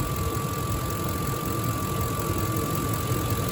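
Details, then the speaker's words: 2005 Ford F-150 with 5.4 Triton V8 at idle: even, steady V8 idle with constant low rumble, no knocks or misses; a pretty smooth runner that sounds good. Normal idle. "She's a pretty smooth runner. Sounds good. She sounds good."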